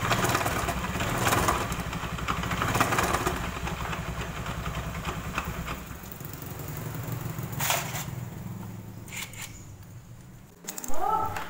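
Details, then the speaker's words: Honda Beat automatic scooter making a diesel-like klotok sound: dull, loose knock about three to four per second over the running engine, seeming to come from the drive side; CVT suspected, not confirmed. "di sini kita kedapatan motor Beat yaitu yang suaranya klotok klotok seperti mesin diesel ya"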